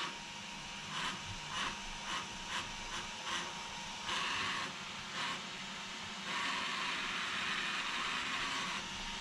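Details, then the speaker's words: Traxxas XRT with a new ESC, bench test of the cooling fans: only one works. A high thin whir with repeated scratchy buzzing bursts as the sticking fan's blades catch the housing; all blades are present. "This fan is sticking. You can hear it. So I'm going to make sure no garbage is in there and that all the fan blades are there. All the fan blades are there. But it's like it's hitting the case."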